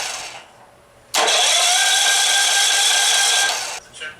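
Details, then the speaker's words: Firman gasoline generator, sat for two years, with fresh gas and the choke on: the starter whirs steadily for about two and a half seconds with no firing stroke; it cranks but won't start, and the battery is good. "It sure don't sound like it wants to fire. That battery's good."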